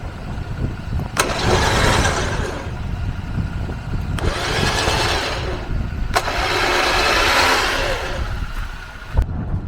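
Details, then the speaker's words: Six-year-old winch on a Jeep Gladiator, earlier thought broken, run from the remote: repeated few-second whirring bursts with sharp clicks between; winch working. Owner suspects a short in the control box, unconfirmed. "Yeah, you guessed it. That noise is the winch working. So maybe it's just a shortage in the box or something."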